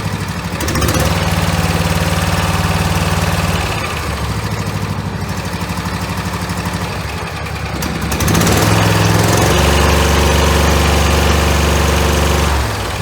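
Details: V-twin Briggs and Stratton mower engine after governor adjustment: even hum, then picks up smoothly to a higher steady speed and holds without surging; governs properly.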